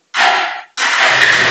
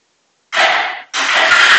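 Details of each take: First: Bajaj Pulsar 180 BS4 with hard-starting and pickup complaint (needed 4-5 self-starts); short crank, catches at once and settles into steady run; normal easy start. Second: Bajaj Pulsar 180 BS4 motorcycle with a starting problem, tested with a CDI fitted: the engine catches, runs rough for about three seconds, then fades out and dies, so the fault is the CDI.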